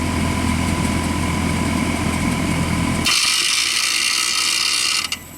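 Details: Bryant heat pump in winter, compressor failing to start; heavy steady electrical hum for three seconds, then hiss and cutout while drawing over 40 amps, later 54 amps, before internal lockout. Bad compressor suspected.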